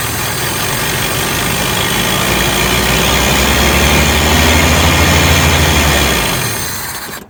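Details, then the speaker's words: 1983 Toyota 22R, sat 20+ years, with carburetor problems: engine catches, runs unevenly a few seconds, then fades and dies; float bowl empty, fuel starvation, likely needs a fuel pump at minimum. "oopsie yep we still have no fuel in the float Bowl um probably gonna be putting in a fuel pump at a bare minimum instead of doing something with this carburetor"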